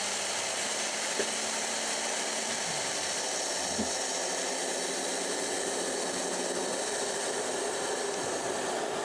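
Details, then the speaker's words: Allvac AV7000H hydro excavator with PTO engaged and the vacuum pump held at high RPM, gauge around 7 PSI: a steady loud rushing hiss from the front pressure reliefs with no surging or knocking. The reliefs are venting normally. "we're going to watch this gauge here to make sure it sits around the 7 PSI mark, and you'll hear the vacuum relieving out the pressure reliefs at the front."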